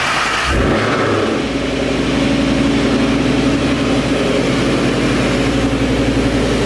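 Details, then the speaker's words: 2011 Mustang GT V8 with newly installed Paxton Novi 2200 SL supercharger on a base tune, first startup: brief start burst, then steady even lumpy warm-up idle with faint blower hum; sounds super healthy. "that right there ladies and gentlemen is such a good sign the car sounds super healthy"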